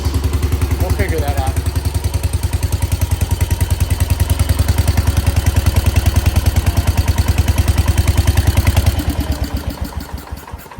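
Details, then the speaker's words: 1968 Case 155 garden tractor, got running just by cleaning the points after no spark: single-cylinder beats a steady, even thump around three per second with no misses or knocks, then winds down smoothly; normal running. "okay guys we got it running that was uh that was probably the easiest one I've ever got to run just had to clean the points"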